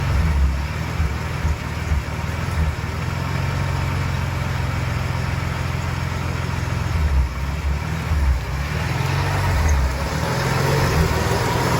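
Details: Inline-six 300 at idle: deep, heavy idle that stumbles and surges every few seconds instead of holding an even beat; rough idle.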